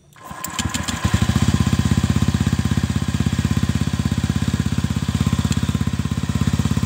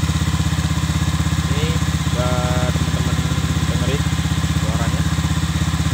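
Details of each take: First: Honda Vario 125 (old model) CLD exhaust after repacking with 3 sheets of new glasswool: engine catches and settles into a steady, deep, even, muffled idle thump; only a slight change expected; normal exhaust note. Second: Honda Vario 125 (old model) stock CLD racing-style exhaust, before the glasswool packing is replaced: quick, even putter with a thin, raspy, dry edge and little bass under throttle; worn silencer packing.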